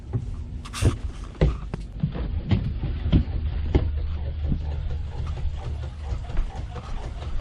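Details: Sea Ray boat aft-head VacuFlush vacuum pump tested after replacing duckbill valves, lid still off: steady low hum building vacuum under some clatter and knocks, running evenly and sounding healthy.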